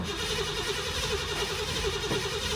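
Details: 1990 Ford Mustang crank-no-start; scope shows no PIP square-wave signal from the module (pin 56); starter cranks steadily at about three compression pulses a second but never catches: no spark.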